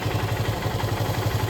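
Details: KTM Duke 250 Gen 3 at start-up: fast, even ticking about twelve a second over a low idle thrum; owner attributes it to oil having settled down, not confirmed.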